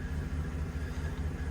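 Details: 2023 Chevy Suburban Z71 V8 at idle: deep rumble with a recurring dip, an uneven lope from a cylinder 5 misfire.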